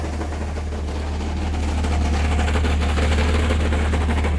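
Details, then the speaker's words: 1998 Chevy S10 2.2L four-cylinder, manual with new clutch, 20 psi oil pressure at idle and 40 revved: deep drone with a regular knock about three times a second that worsens with AC load; began under hard first-gear acceleration, crank bearing suspected, unconfirmed. "I'm gonna demonstrate the sound here all right start it up and if you push some load on the motor it gets worse turn the AC on"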